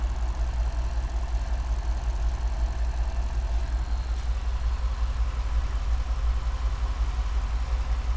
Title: Cadillac STS Diagnostics The problem was bad rings causing the misfire